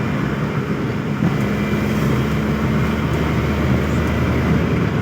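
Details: Suzuki F6A electronic fuel injection engine, repaired for hard starting and low power, on a road test drive: steady, even drone under load over road noise, no misses or stumbles. Running healthy.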